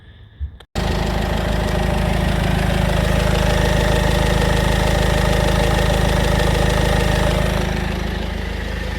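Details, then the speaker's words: 2016 Citroën C4 Grand Picasso after replacing auxiliary belt tensioner and belt: engine starts and idles evenly, the worsening loud rattle that came and went with the belt is gone; normal idle. "so that seemed to be the tensioner has fixed it so which is good news because I had this noise has been getting louder and louder and louder rattling about"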